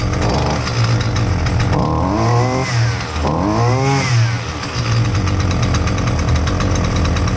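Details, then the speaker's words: Husqvarna 128L string trimmer that wouldn't start: loud two-stroke buzz rising and falling unevenly, labouring between revs; keeps flooding, fuel pouring from the muffler, not fixable by carb adjustment. "that's a lot of fuel y I rotated this thing while I was running to try and get any puddles of fuel that might have been in the muffler to get them to come out I actually dried everything uh trying to get the the fuel out and it just keeps flooding"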